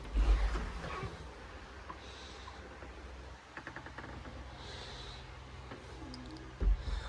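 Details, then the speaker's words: Door closer with non-original arms, all grease removed, cycled: thin dry squeaks as the door swings, then a sharp low pop at the end from a badly popping hinge piece; dry closer squeak with worn hinge pop. "I taken out all the grease cuz I like squeaky door. So this is what it sounds like currently. That pop that popping noise at the end is just this piece."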